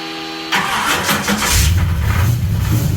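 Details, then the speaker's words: 1966 Pontiac LeMans, parked three years during bodywork, new battery: catches after brief crank into lumpy struggling idle with loose clank in mid-engine area only at low idle; source unknown. "Got something clanking around in the in the mid engine area of the car. something that's only doing it when it's like low idling, struggling to idle."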